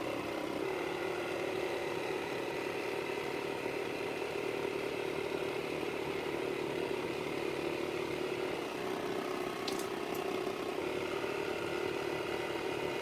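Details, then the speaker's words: Waterpik water flosser pump running: steady, loud buzzing hum with even pulse and constant pitch; loud noise is normal; normal operation. "Okay, so it's normal to, it will make a loud noise. That's normal."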